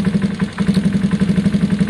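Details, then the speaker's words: Gilera DNA 125 single after carb upgrade to newer metal-slide model, warming up with choke: idle now lower, low steady even thump with no hunting, meaning the air leak hole is gone; idle and air-fuel screws still to adjust when warm. "Oh look The idle's gone lower that's good that means the hole's gone"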